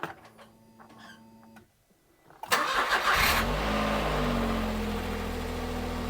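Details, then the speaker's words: Smart 451 petrol bought non-running from Copart, after fitting a spare starter motor: quiet, then short quick starter whir before it catches and settles into even steady idle; normal crank and start. "I'm happy. Can you tell I'm happy? it actually sounds alright."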